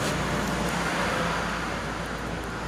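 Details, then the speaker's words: Honda PCX 160 scooter, several years old, after a rubber fix to the noisy rear brake caliper: riding and accelerating with steady engine and road hum, no rattle from the rear caliper. "Sure yan guys. Hindi maingay yan. Hindi yan lumagka umaarangkada."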